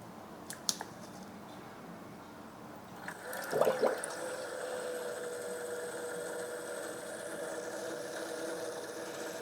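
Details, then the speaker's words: Water-cooling pump in a 14900K/4090 PC in a 13-litre NAS case: spins up to a steady whirring hum with fizzy gurgling hiss from small air bubbles. "The noise you'll hear from the pump is water with lots of small air bubbles in, so when it goes quiet, that means it's just pure water in there."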